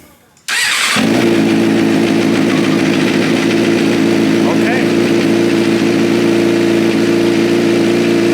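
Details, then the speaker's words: Motorcycle bought for flipping, with gauges and electronics not working and coolant dripping from a radiator hose: it catches quickly and settles into a steady, even run with no knocks or rattles. Normal, healthy running engine. "well it runs I still don't see mileage but oh and Tech doesn't work nothing works but the engine runs sounds healthy"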